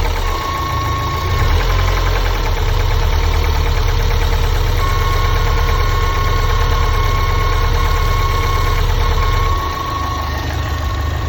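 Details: Lotus Elise S2 111S at steady idle: a fast, uneven ticking knock of about three and a half per second with a faint howl above it. The owner fears an engine failure; cause unconfirmed.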